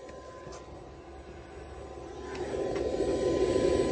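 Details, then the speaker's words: Razorback clutch-housing blower fan on a Polaris RZR XP Turbo S, newly installed and running on ignition at fan setting five. Steady airy whoosh that swells and stays even, with no rubbing or ticking. Blower working properly. "you can hear it down down in there working away so again we still got to get our hose clamps on here to make sure that guy's not going anywhere but yeah it's all it's hooked up and it is working which is great"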